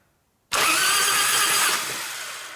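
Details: 1996 Harley-Davidson FXST Softail 80ci Evo project bike, stored over 10 years, being revived: sudden fast, high whirring spin for about two seconds, then winding down, as the starter turns the engine over freely during a spark check.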